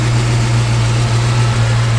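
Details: 1940 Mercury 8 Coupe with fuel-injected Ford 351W V8 and K&N air filter: smooth, steady low burble at idle with an unbroken even rhythm, no ticks or knocks. Normal idle.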